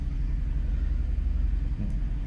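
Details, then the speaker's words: Infiniti FX37 (QX70) before valve adjustment, valve clearances found tight on one head: low, lumpy idle with an uneven, stumbling misfire; misfires on bank one, very neglected case. "Запустив я двигун і машина впевнено троїт."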